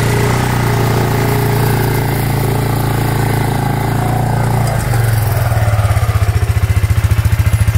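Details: Suzuki Eiger 4x4 ATV after replacing the drive belt, the fault all along; owner suspects a wrongly fitted metal gasket chewed the old belt. Steady single-cylinder thump, revs rising evenly as it pulls away, drive engaging cleanly; normal running after repair.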